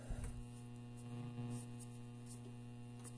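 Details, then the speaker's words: Zenith 6-S-229 tube radio brought up slowly on a current-limiting supply, about 80 volts, before any repair: constant low buzzy hum under handling clicks from failing electrolytic filter capacitors. "I'm gonna bring it up a little more today we're up to 80 volts and you hear that hum that that's your electrolytic capacity is homie right now"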